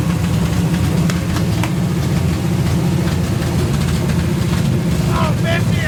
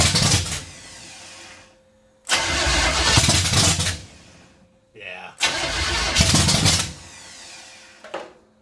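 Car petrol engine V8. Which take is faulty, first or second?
second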